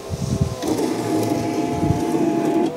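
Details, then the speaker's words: 2011 Fiat 500 Lounge power window, ignition on: the motor hums with a rough scrape from about halfway down, stopping at the top. The cause was loose glass channel screws and a snapped glass clip; the owner had hoped it only needed grease. "the wind works fine it's just a horrible scraping noise I'm hoping it's just grease"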